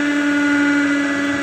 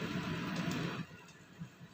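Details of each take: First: Samsung manual microwave, model M171N, reported as noisy: a loud, steady low hum with a buzzy edge drones while running, with what sounds like a shorting/arcing noise. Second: Samsung manual microwave (code M171N) after repair of a loud-noise complaint: steady low hum with no scraping or rattling, then a clean shut-off; running normally.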